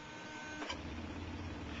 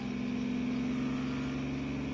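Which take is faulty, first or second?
first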